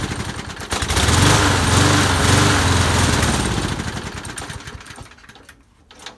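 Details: Lawn mower that won't stay running without priming, tested after blowing out the jet and oiling the cylinder: fires and runs a few seconds with a choppy beat, then fades and dies. It was fuel starvation from clogged channel holes in the float bowl bottom bolt.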